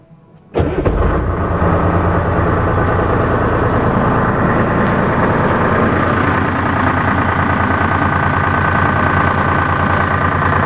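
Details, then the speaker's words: M561 Gama Goat diesel first start after fuel pump rebuild, lines bled of air; brief crank, catches quickly and settles into a steady, even idle with no misses or knocks, sounds healthy. "so everything sounds good there so we'll go ahead and start it up and make sure it means good to go"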